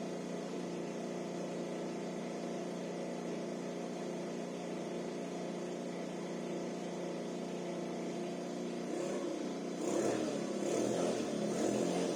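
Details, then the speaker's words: SYM 50cc four-stroke scooter that would not start, after valve adjustment and carburetor cleaning; warmed up with idle adjusted, ticking over evenly and picking up cleanly on throttle blips. "Am lăsat trotineta să se încălzească și am mai reglat puțin ralantiul. Se pare că pornește destul de bine și când este cald."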